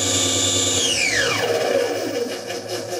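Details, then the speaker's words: Syil X4 CNC mill, over 10 years old, with a 750 or 1,000 W three-phase motor driving the spindle via a toothed belt, top speed about 5,560 rpm: clean whine holds steady, then glides down smoothly as the spindle slows, no grinding; normal spindle operation. "It might be 750 or 1,000 watt 3-phase motor on the top that drives a spindle via a toothed belt, and which gives me a maximum speed."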